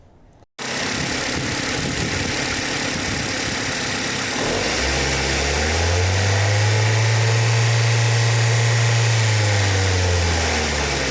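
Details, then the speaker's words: 2005 Ford Focus ZX3, about 200,000 miles, codes P2004/P2006: idle a little high and even, low steady drone swelling mid-clip; intake runner control valve stuck open, only closing after sitting overnight, raising idle. "I could literally drive all day and it would stay in the open position and the only way it would close is if the car sat overnight"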